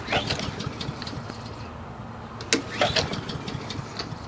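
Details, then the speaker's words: Husqvarna push mower small engine with auto choke, sat a long time, fuel shutoff and kill switch released: two recoil pulls spin it over but it never fires; cranks but fails to start, carburetor cleaner applied next. "no start all right so what we're going to go ahead and do is grab some carburetor cleaner"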